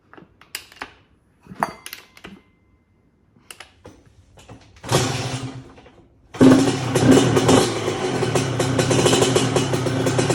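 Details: 1997 Honda CR125 two-stroke, first start after rebuild with new Vertex B piston, honed cast-iron bore, new gaskets, seals, Bills silencer and air filter: handling clatter, then it catches and settles into a steady crisp buzz without misfires or knocking; normal running.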